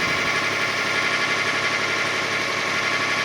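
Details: 2005 Kia Sedona 3.5L, 116,000 miles, fast warm-up idle about a minute after a quiet cold start: loud hissy, rattly upper-range noise over a thin low rumble, after new timing belt, tensioners, idler, water pump and harmonic balancer; timing marks rechecked, cause unknown.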